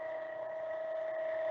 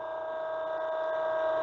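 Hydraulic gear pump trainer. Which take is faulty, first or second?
first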